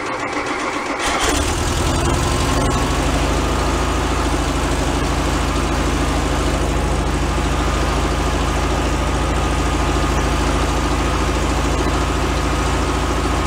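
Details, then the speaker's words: 1978 VW Super Beetle, long stored, after oil cooler leak repair and hose replacement. Starter catches within a second and it settles into a steady, even idle with no misses or knocks; a separate fuel leak was found, possibly at an untightened clamp. "it sounds better looks like a different fuel leak"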